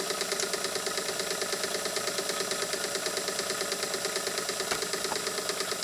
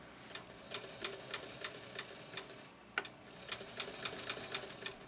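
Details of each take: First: Canadian-made Singer sewing machine with 0.95 amp motor after lubrication: fast, even clatter about three beats a second holding steady speed, picking up speed; normal running after lubrication. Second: Singer 328K sewing machine made in Canada, running with the drag off: light, uneven dry clacking about three times a second, a clunky mechanism; the clunk is beyond the motor, between the balance wheel and the needle bar.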